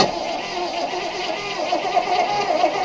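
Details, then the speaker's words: 1976 Chevrolet Impala V8, 20,000 original miles, sitting in a barn for 22 years: steady, even cranking with no start yet, building oil in the bearings; turnover speed sounds healthy and strong; normal cranking. "okay yeah she sounds pretty good yeah sounds pretty good yeah well not yet crank it with a little more I want to build up some oil in the bearings before we hit it"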